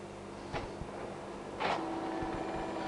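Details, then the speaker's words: Printer switched on for troubleshooting: a faint click, then a soft, steady motor hum as the gear train spins up evenly, showing the gear train and drive are functional and running normally. "If it makes a noise like this it's doing right now, that will tell you that the gear train, everything else is functional and running."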